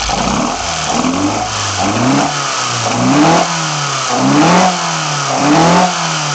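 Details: BMW 318i with M10 four-cylinder engine, first startup after fitting sidedraft individual throttle bodies (Carburetor Man / Dramatic Racing): sharp throttle blips about once a second, revs rising and dropping cleanly back to settled idle; normal healthy revving.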